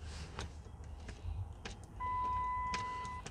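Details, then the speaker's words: Chrysler 300, long-sitting, rusted, towed in with no-start no-crank, solenoid click now gone: crisp ticks about every 0.6 seconds over quiet cabin with brief steady chime are the turn signal flasher ticking normally. "yeah what you hearing there is a fact let me turn it off turn signal"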